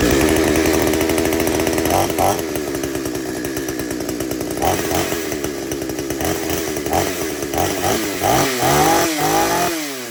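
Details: Chainsaw buzzes at steady high speed, then dips and picks back up cleanly with no sputtering; normal running.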